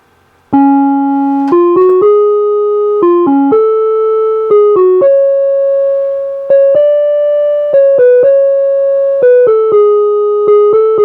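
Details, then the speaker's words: NuTone LA60 electronic musical door chime, over 30 years old, playing clean, steady notes after being rebuilt with the original speaker cone; the weird warbling alien-like sounds are gone, since the speaker cone was not the cause. "The weird space alien sylon sounds are gone and now it rings as it's supposed to."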